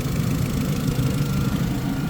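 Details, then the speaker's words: Barn-find Mini, restarted after sitting over a year, air conditioning on, cooling fan not yet running: steady even low idle, previous squeak now stopped, no knock; healthy idle. "uh squeaking's a lot better as well as you can hear stopped"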